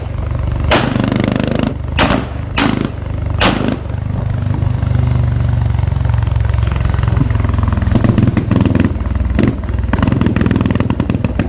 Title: Misfire💀💀